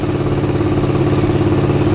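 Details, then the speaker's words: Suzuki GSX-R150 with NOBI Neo SS racing exhaust, after fix for stutter (brebet) at about 2000 rpm: steady, even exhaust drone held at constant 2000 rpm with no stutter or misfire; normal steady running, note quieter than before. "gue tahan di RPM 2000 enggak berbet sama sekali. Nah ya, ini 2000 tanpa merebut sama sekali."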